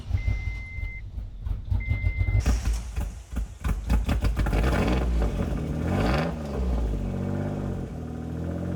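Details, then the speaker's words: Mitsubishi 3000GT VR4, first start of freshly installed engine after rescue from storage: a chime, then cranking, then it catches into a loud, raspy, uneven run with puffing; a massive exhaust leak. "It's actually running. It sounds horrible. There's definitely a massive exhaust leak."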